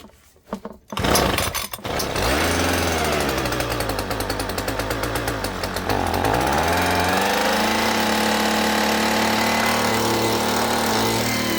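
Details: Homelite Mighty Lite two-stroke blower that wouldn't start, after repair: after a couple of cord pulls it catches and settles into a steady, even buzz, running cleanly.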